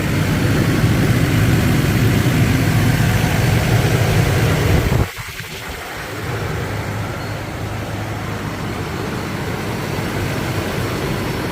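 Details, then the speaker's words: 1994 Toyota Land Cruiser FZJ80, 177,379 miles, just started; steady, low, even idle hum with no knocks or misses, a door thud partway through, then settles smooth; normal idle. "I can be standing outside crank it I like that sounds great smooth smooth"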